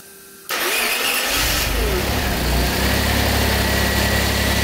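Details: Maserati Biturbo 4.24V V6 twin-turbo, stored over 15 years in a barn, after mechanical restoration and fuel pressure regulator adjustment; quick crank and catch, then a steady, even idle with no misses or knocks, starts and runs healthy.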